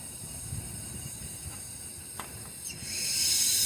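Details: 2004 Lexus RX 330 no-start with a leaking water pump, compressed air fed into a cylinder through the spark plug hole: quiet at first, then a steady rising hiss as air escapes into the coolant at the radiator neck. Blown head gasket, possibly a warped head.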